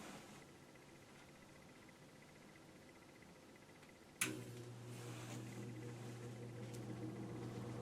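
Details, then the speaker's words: 1948 Westinghouse Mobilaire fan after repair, with a repainted motor and a motor housing modified by grinding, starting up: a soft, steady low hum builds evenly with no ticking or scraping; it moves lots of air; runs normally. "this thing moves a ton of air on either speed"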